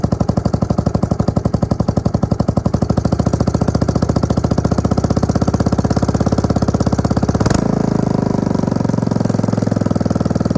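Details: Suzuki LT250E Quadrunner single-cylinder quad after new fuel pump for fuel starvation and idle problems: quick even firing pulses hold steady, pick up cleanly on throttle blip, no surging; fixed.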